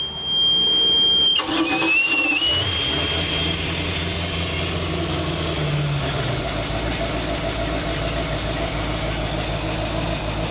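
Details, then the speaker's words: 23-foot Chaparral 2330 sport boat salvaged after engine fire, first start after pressure washing, coolant hoses off and no water muffs yet: short crank, catches at once, steady even idle with smooth exhaust burble; starts and runs normally. "wow start right up um i still got the coolant hoses take off and we still got the ear muffs to put on so let's put that on we'll try it again"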